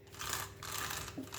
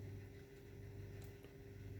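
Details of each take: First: New WLtoys 124019 RC car: gritty, rasping bursts rising and falling with the motor's whir; front and rear diffs feel jumpy and tight, wheels don't run free. Diff shimming or lack of grease suspected. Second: Brand-new WLtoys 124019 RC car front differential after fix: it was over-shimmed from the factory (shims too thick), regreased; now a steady even low hum, no clicks or binding, diff turns smoothly and freely.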